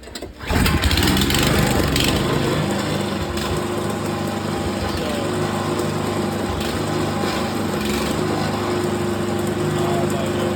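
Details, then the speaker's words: Cheap worn excavator whose blown original engine (valve dropped into cylinder) was replaced with a small snowblower engine: it catches and settles into a steady, even buzzing run with no knocks or misses; normal running. "So the engine, when I bought this machine, was blown. The valve fell into a cylinder and it was pretty messed up, so I put this snowblower engine I had off little snowblowers, almost the same engine."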